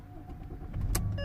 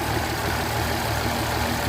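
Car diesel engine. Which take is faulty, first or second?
second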